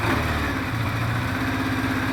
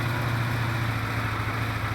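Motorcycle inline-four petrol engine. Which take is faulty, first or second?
first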